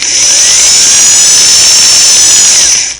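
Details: Singer model 413 vintage sewing machine after motor belt replacement and tensioning: steady high-pitched motor whine at full speed for about three seconds, slight belt vibration, then smooth spin-down; belt tension judged good, normal run.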